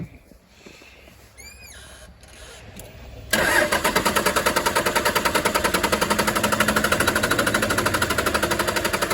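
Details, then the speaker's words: 1996 Dodge Ram 2500 Cummins 12-valve diesel sitting seven years, all six injector lines cracked for bleeding: even cranking about 2.5 beats a second, never catches, lines bone dry; possible clogged fuel line suspected; crank no start, fuel starved. "nothing yet nope it's bone dry yeah okay so we he just loosened up one a lot if this doesn't work it usually means we have a clogged fuel"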